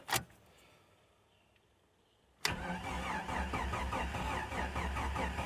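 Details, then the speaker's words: 1993 Jeep Cherokee 4.0 High Output, sat 15 years, fresh fuel supplied: the starter grinds over slowly and unevenly at about two turns a second. The jump pack is drained from cranking another truck. "come on baby oh man that's slow my jump Pack's dead from trying to crank the other truck"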